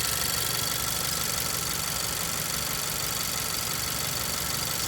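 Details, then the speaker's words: 2018 Honda Civic Si at warm idle: normal fast ticking from injectors and high-pressure fuel pump with a thin steady squeaky whistle on top; source unknown. "but is that squeaky noise I have no idea where it's coming from I tried looking around"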